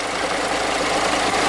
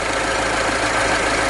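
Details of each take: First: Idling engine with a loose, uneven rattle from the front belt area that comes and goes; alternator decoupler pulley (aluminium with rubber centre) broken and loose, wobbling side to side; fix is replacing the pulley. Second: After a broken aluminium-and-rubber alternator pulley that caused the noise was fixed by fitting another alternator: steady, uniform idle hum with no whine, squeal or rattle from the front of the engine; normal idle.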